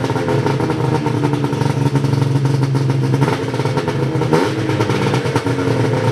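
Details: Ski-Doo 583 Summit two-stroke after HAC failure and delete, rejetted in below-zero cold with needle clips moved from third to second position: busy buzz with light clatter, even, no bogging or misfire; runs normally.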